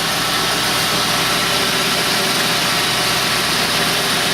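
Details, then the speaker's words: 2002 Mercury with about 120,153 miles, hood open: smooth steady idle under a loud hiss, no knocks, ticks or misses; runs really well, normal idle. "I mean, yeah, that thing, man, it runs really well. I knew it ran good."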